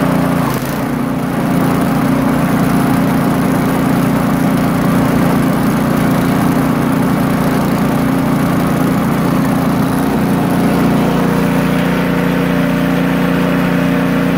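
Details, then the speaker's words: Poulan Pro snowblower engine after fixing idle surging by tightening loose nuts: smooth, even idle with no hunting or surging. "so i tighten it up more than what it was and i'd test it a little bit it seemed to be running much more smoother i'll show it to you after i put it back together much better"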